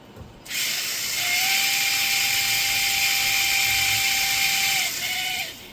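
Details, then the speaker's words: Tamiya Wild One RC car during maintenance: steady high whine with a gritty edge, sounding tight and crunchy. Owner wonders whether fully extended trailing arms and dog bones cause a vibration issue; crunchy drivetrain noise. "It's a little tight. And a little crunchy. I wonder if it's because the trailing arms are fully extended, so the dog bones are... It's a vibration issue. That's what it sounds like."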